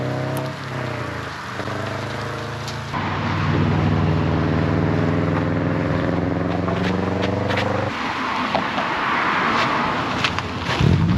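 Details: 2005-and-earlier non-turbo dual-port Subaru boxer after an unequal-length header install, driving: deep uneven burble rising and falling with throttle over wind and road noise; healthy rumble, no exhaust-leak ticking.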